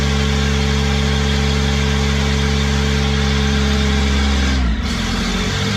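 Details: Kubota diesel with a 1006-tooth ring gear, started using a new starter with an 8-tooth pinion: steady, even idle with a smooth low throb and no knocks or misses; the engine itself sounds healthy.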